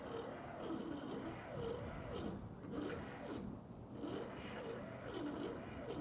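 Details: Cessna 401 engine unstarted for over 15 years, fuel system cleaned and injectors reinstalled, battery hooked up: a sluggish, labored whir rising and falling with each compression stroke. It turns over too slowly and never catches.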